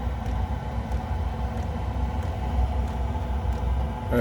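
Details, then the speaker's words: Chinese diesel heater running on red diesel after failing to start, pump remounted on rubber, fuel tank underneath, exhaust pipe: steady even low roar with smooth fan hum, no sputtering or surging; fired up and running normally. "fuel tank underneath exhaust pipe if you go the furnace is kicking up there can you hear that"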